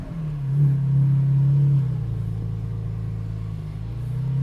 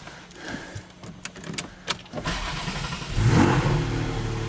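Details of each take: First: GT4 exhaust in stock valve mode, after the exhaust work, driving: a smooth low rumble rising under throttle and settling at cruise, no buzz or rattle, and the previous vibration is gone. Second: GT4 on a lift with Dundon headers and exhaust fitted and the rear section removed, revved up from idle: a coarse buzzy rasp rides the rising exhaust note, still present, and the owner is unsure whether that's just how it sounds.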